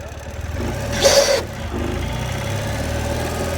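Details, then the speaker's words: Ural Patrol motorcycle idling, then a loud harsh squealing grind when the clutch is pulled in, going away once the clutch is out; no clutch slip, gears shift fine; began after a long ride from Texas to South Dakota. "No clutch slip. Gears shift fine, just makes that horrible noise when working in the clutch."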